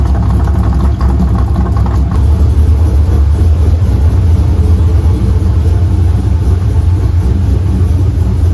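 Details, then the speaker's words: Pontiac GTO V8 after replacing a bad IAC valve: settles into an even, steady idle with no hunting, misses or knocks. Normal idle after the repair. "all right so at least we can confirm that the IAC was bad so here's the part number um we'll see if this lasts but at least now she runs"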